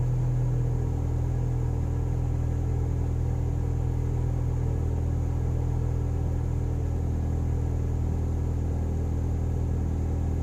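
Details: 2011 NC Mazda Miata, cold start: cold idle with a deep steady rumble and a faint hunting pulse about three times a second, slightly uneven; possible vacuum leak suspected, not confirmed.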